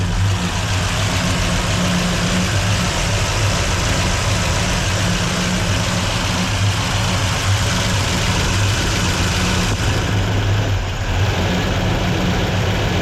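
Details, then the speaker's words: 283 V8 in a 1967 Chevelle during cam break-in, idle raised, fed on primaries only with the secondaries plugged, oil pressure good. Deep steady V8 idle; owner notes a lot of valvetrain clatter. "well doesn't sound half bad there's a lot of valve train clatter though"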